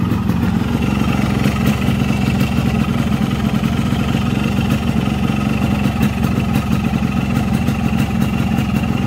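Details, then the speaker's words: Yamaha RX King 135cc two-stroke after refilling its two-stroke oil with Pertamina Mesrania. A crisp, rapid popping at a steady idle, even and clean with no knocks or rattles, and little smoke: healthy. "nah ini teman-teman ya suara motornya seperti ini suaranya aman ya"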